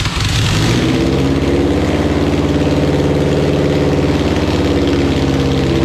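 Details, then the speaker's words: Honda Civic EK D-series engine, first start with swapped ECU and conversion wiring: catches and settles into a steady even idle with a consistent low beat; runs smooth and healthy. "oh [ __ ] yo this [ __ ] [ __ ] runs and smooth as hell I can't believe this [ __ ]"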